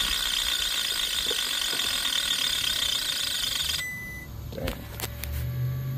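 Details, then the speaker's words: Seized scroll compressor from an old AC condenser unit, run on a variable frequency drive at 40 Hz: harsh gear-like ratcheting chatter that cuts out abruptly when stopped; then stuck, suspected rotor-shaft separation or internal slop. "What the hell's going on? I don't think that's just the magnetic field rotation we're hearing."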